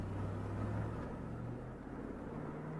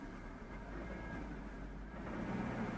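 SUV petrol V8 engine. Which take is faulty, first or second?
second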